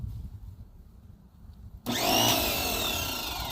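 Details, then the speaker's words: Free Greenworks 2000 psi electric pressure washer connected to a water hose: silence, then the motor kicks in instantly with a harsh rush and wavering high whines; abnormal start-up noise, cause unknown, reportedly not working. "Why does it do that? Anybody know? Somebody? That might be the reason why they say it's not working."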